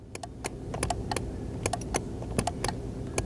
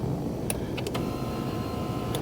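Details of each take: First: 2021 Mazda CX-9 power seat motor gives sharp irregular clicks over a low hum when the button is pressed, but the seat won't move forward or back; fix requires replacing the entire seat track/bottom. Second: 2021 Mazda CX-9 power seat motor running normally after seat track replacement, with a short, smooth, even whir and a click at start and stop as the seat moves up, down, back and front.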